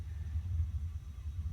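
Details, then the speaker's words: Gas water heater with suspected thermocouple problem, pilot relit and held about a minute, valve on and thermostat turned up; main burner lit with soft steady roar, no popping or sputter — normal burner operation. "burner started working. So you can look back down here into the burn chamber again, and you're going to see a lot more flame now. So there's the entire burner is going."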